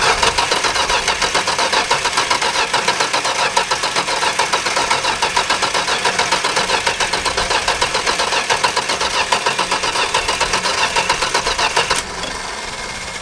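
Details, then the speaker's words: Dodge Dart Swinger 225 Slant Six with single-barrel Holley, electronic ignition, after sitting: steady quick cranking, turns freely but never catches; fuel, air and voltage at coil present, but no spark at coil wire, distributor cap next. "That's more cranking than I want to do with no action. So we have fuel, we have air, we have juice going to the coil. I'm going to pull the coil wire and check for spark. We got no spark."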